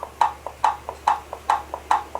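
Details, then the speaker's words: Brastemp/Consul washing machine agitator mechanism, gearbox pulley rocked by hand on the bench: sharp clicks in alternating loud and soft pairs; normal pulley play noise. "esse barulho é normal tá esse barulho aqui é o barulho da polia batendo"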